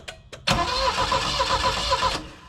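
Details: Saab Sonett III, after engine and transmission reinstall, cranking: starter spins steadily about 1.5 seconds but never fires despite strong spark; distributor rotor 180 degrees off.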